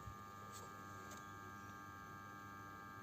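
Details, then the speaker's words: BMW E60 locked and parked, engine off, should be asleep; faint constant hum with light ticks as a solenoid valve stays energized; fault codes 29AF (terminal 15) and 299D; cause was the IBS battery sensor, damaged by water leaking in through the trunk vent, draining the battery. "parece que hay alguna electroválvula que mantiene tensión y no llega a entrar el coche en descanso entonces sigue con ese consumo"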